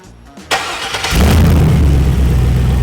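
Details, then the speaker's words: Freshly serviced Rocket 88 turnkey engine on a test bench with synthetic oil and open exhaust for listening: a short crank, then it fires and settles into a steady, even idle with a deep, regular beat and no knocks or rattles. "We've just turned the ignition key and it's up and running."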